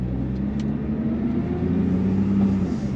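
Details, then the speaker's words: 2012 Nissan GTR at 127,000 miles, dual clutch transmission in race mode at low speed: engine note steps abruptly as it makes more frequent, more aggressive gear changes; normal for this car. "it'll make a lot more gear changes and it gets quite a bit more aggressive um with how it makes those gear changes"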